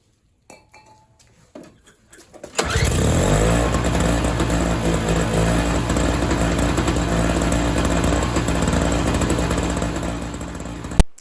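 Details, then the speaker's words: MTD 4.5 single-stage 21-inch two-stroke snowblower, after carburetor clean restored fuel flow and float: a few quiet pulls, fires on first pull and settles into a steady, even buzzing run; normal start and run. "that's it started first pull um it's actually should start first pull every time"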